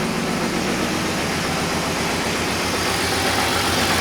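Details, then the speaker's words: $400 drift car after 3.0 swap, six new plugs and fire tune: even idle with fast light ticking about four pulses a second over exhaust note; owner suspects exhaust leak, unconfirmed. "it seems to be running smoother and healthier now it has an exhaust leak what sounds like an exhaust leak at least"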